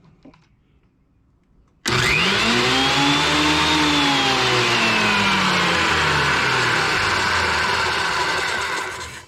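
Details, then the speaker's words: Planer in the shop, cleaned and waxed, blades sharp with no chips; motor spins up with a rising whine to a loud steady hum then winds down, everything spinning as it should, feed chain in good shape; normal running. "everything's spinning in there like it's supposed to"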